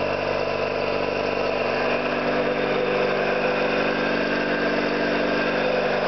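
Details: Orlík 2 JSK 75-2 piston compressor, one of the first starts after rebuilding leaking valves and seals, motor temporarily started via star connection: steady, even pumping hum with constant pitch, no knocks; running smoothly.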